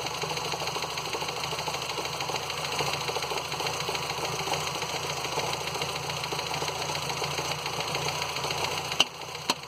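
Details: Ford Fiesta Endure engine at steady idle with a fast, even metallic ticking riding over the engine throughout; unusual noise, cause not identified.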